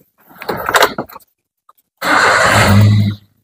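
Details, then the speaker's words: Car cold start after refitting the radiator cooling fan: keys and door, then the engine catches and settles into a fast, even, high cold idle with no knocks; normal cold start before switching the AC on. "ini sudah kita start rpm-nya masih tinggi soalnya baru awal"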